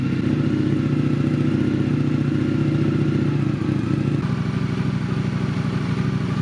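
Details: 2021 Indian FTR 1200 R Carbon after a rebuild, idling to circulate coolant and open the thermostat, exhaust not yet fully refitted: steady, fast idle pulse easing slightly lower, no knocking or rattles.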